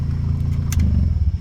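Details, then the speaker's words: Geo Metro petrol engine idling fast and steady at about 1100 RPM because ignition timing is over-advanced; owner plans to swap in another car's distributor and computer, then reset timing. "That's why it idles high. I don't know if you can hear it, but it idles about 1100 RPM"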